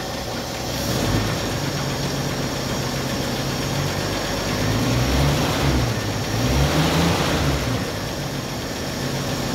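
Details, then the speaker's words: 1964 Chevrolet Impala inline six, first run after sitting since 1995, fuel with two-stroke oil in it: steady, even low putter with no misses or knocks, slight smoke; normal idle. "so she's running she's even idling man this is crazy these inline sixes are some good ass engines man"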